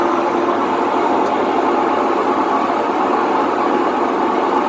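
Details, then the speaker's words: Whirlpool WTW4950XW3 top-load washer on the drain cycle: loud, steady rumbling roar, without knocking, as the drum spins; typical of worn drum bearings. "vamos a escuchar este sonido que es lo considero como típico de una lavadora con problemas de rodamientos"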